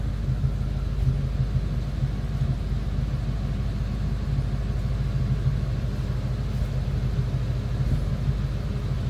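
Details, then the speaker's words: 1940 Ford Deluxe two-door sedan, flathead V8: deep, even low rumble at a steady idle with no knocks, misses or hunting; a normal, smooth-running idle. "a smooth running flatty."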